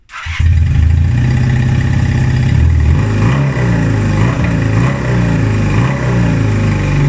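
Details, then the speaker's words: 1978 Honda CB250 Twin after carb rebuild: starts and now takes revs instead of falling flat and sputtering as before; revs rise and fall with a slightly uneven beat between blips; runs but not perfectly, idle still to be dialed in, new jets to be ordered. "so sadly we did not get it running perfectly but we did get it running which was the goal of this episode"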